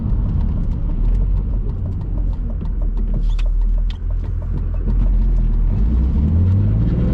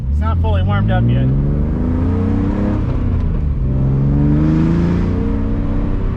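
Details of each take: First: BMW E46 with M52 engine, new headers and a part off an X3, driving and lifting off from higher rpm at low speed: deep, even exhaust rumble through rev and lift-off with no crackle or popping on overrun; earlier popping gone, slightly louder than stock. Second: BMW E46 with M52 engine, aftermarket headers and muffler delete, no resonator, driven under load to higher rpm: harsh raspy blatty drone climbing with revs, plus a small backfire pop; needs a resonator.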